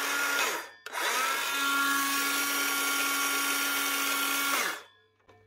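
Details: Power tool after new brushes and brush holder: clean spin-up to a steady, even whine with no crackle or stutter, then a smooth coast down; the motor is running healthy.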